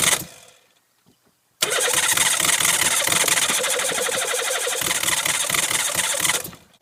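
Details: Van "Max" after engine rebuild with top-end gasket kit: starter cranks steadily about five seconds at a quick even beat, engine never catches; cranking, no start, owner suspects ignition timing/distributor position.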